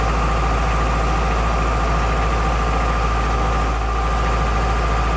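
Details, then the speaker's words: Unimog 421 with centralising PTO gearbox fitted: constant diesel drone with buzzing hum; the PTO output shaft was slightly bent, making the case, rigidly bolted to the chassis, vibrate, which would have cracked the gearbox. "At this point discovered there was vibration. The output shaft from the PTO was very slightly bent, meaning that the whole case was vibrating, and it's bolted rigidly to the chassis."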